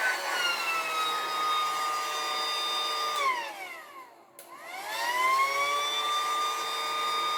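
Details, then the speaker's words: Battery-powered pool air pump that worked intermittently, switched on after cleaning and lubing; now starts straight away, steady motor whine dipping briefly then even; fault appears to be a connection issue. "So if I switch this on now, oh, it's coming on straight away now. Oh, wait there. So it seems to be a connection issue, doesn't it?"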